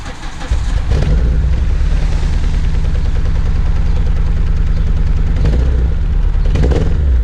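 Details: Renault Clio 182 with flashing engine management light, before fuel injector replacement: engine catches and settles into a loud, deep, lumpy uneven idle suggesting a misfire; owner suspects the fuel injectors.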